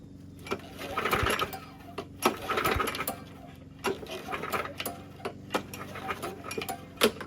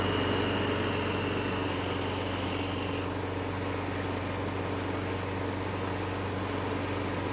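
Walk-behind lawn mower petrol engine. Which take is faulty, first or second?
first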